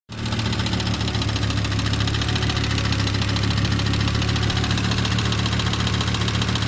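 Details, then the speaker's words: 1997 Volvo 850R, 150k miles and 23 years old, at idle: a loud, fast metallic ticking over a steady rumble from oil starvation at the head. Worn oil sump seals were suspected; an O-ring kit quieted the noise. "so yeah that's not really good that sounds pretty bad as you can tell"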